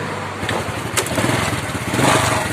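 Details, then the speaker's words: Honda Wave 100 single-cylinder after carburetor cleaning, new spark plug and new air filter: starts quickly, settles to a steady even putter, then revs cleanly without stumbling; acceleration now normal. "ครับก็เร่งได้ปกตินะครับ"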